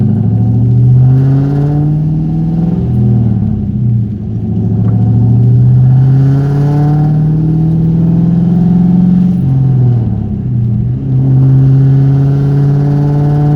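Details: 1998 Mustang Cobra V8, warming up while driving through the gears: light, quick tapping chatter under the drone, mostly 2–3k rpm at cruise and accelerating, gone under load and deceleration; absent cold; suggested causes: rod bearings, lash tensioners, exhaust leak.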